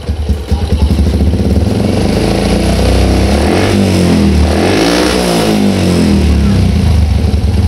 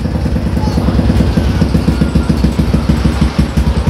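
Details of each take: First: Old Yamaha Jupiter MX motorcycle on a cold morning after replacing the faulty automatic fuel valve, which had caused misfiring and hard starting: it starts first press, idles light and steady, and picks up cleanly on throttle blips. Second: Old Yamaha Jupiter MX on a cold morning, hard starting: lumpy uneven idle misfire, stumbling as if choked; fixed by replacing the original automatic fuel valve.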